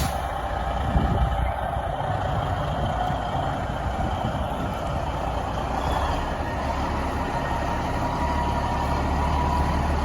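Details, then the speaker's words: Peterbilt 10-wheeler 4,000-gallon water truck used off-road, Cat power (owner guessed a Cummins, unsure): steady, even low diesel idle with no knocks or misses; engine sounds healthy. "Sounds really good. Pretty good. Sounds good."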